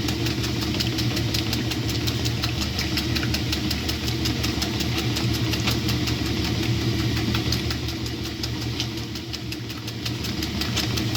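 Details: 1966 Frigidaire Rollermatic washer with new bellows and a modification, washing a load of oversized towels: even swishing strokes about three a second, low steady motor hum, no knocks: normal agitation.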